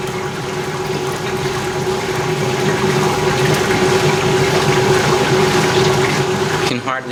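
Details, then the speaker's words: 1989 Maytag A512 Fabric-Matic washer, 32 years old, on a Regular Fabrics cycle: a steady, even hum with a smooth pump drone and no knocking or grinding during spin and drain. It is impressively quiet, a normal spin. "however i found that it is impressively quiet during the spin"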